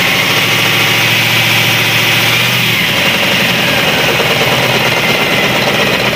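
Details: Cat 3208 starboard marine diesel after repairing the fuel plunger and barrel, which had stuck from corrosion after 18 months: catches within a few seconds and settles into a loud, steady idle with no stumbling. Healthy.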